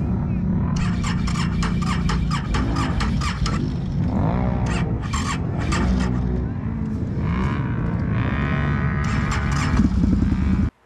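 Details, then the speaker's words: Can-Am Renegade 1000 after replacing starter solenoid/relay; previously slow to turn over and blowing ignition fuse. Now turns over briskly, fires quickly, holds strong steady idle with throttle blips: normal start. "slow and I demonstrated on those startups there it's firing rate up like it's supposed to what a difference I'm glad I got that solved"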